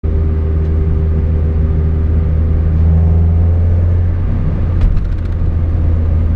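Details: Mazda Miata: steady low hum with a faint constant whine over road rumble when holding speed, gone under hard acceleration or deceleration; ring and pinion in the differential found badly chewed up.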